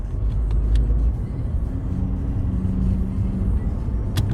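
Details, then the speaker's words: Škoda Octavia II (1Z5) 1.6 TDI with DSG, test drive after readjusting the gearbox selector cable, which had caused noises in Sport mode: steady low road rumble, no clunks or grinding, gearbox now quiet. "Fält sich alles schön ruhig. Also, das war einfach nur die Verstellung."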